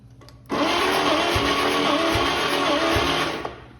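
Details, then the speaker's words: Long-dead 80-year-old Chevy 216 inline-six, out of a vehicle for 40+ years, valves working, dry cylinders: steady starter whir bogging and kicking back on each compression stroke about every 0.8 s; low compression, roughly 60 PSI on tested cylinder. "starter kick back pretty hard you know loaded up heavy when I when it cranked against some pressure even though it was only 60 PSI"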